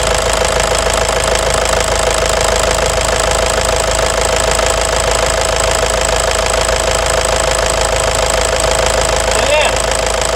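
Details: Toyota Hilux 2.5 diesel after injectors revised, high-pressure pump cleaned and new turbo filter fitted: even steady idle clatter, no misfire or stumble; injectors and pump working properly, white smoke clears.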